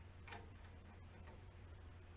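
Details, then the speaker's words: Furnace board relay tested while checking the inducer: a few sharp, irregular ticks over a low hum, spaced under a second apart; the relay is judged bad and not putting out voltage. "the relay is bad it's not putting voltage"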